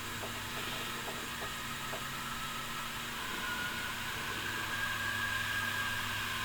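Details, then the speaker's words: DIY boost leak test on a Civic build, intake pressurised through a PVC tester with a tire valve: steady airy hiss with a faint whistle from air escaping at a loose intake coupler; couplers later tightened. "alright so it's testing the boost leak and already found my first coupler has a huge leak"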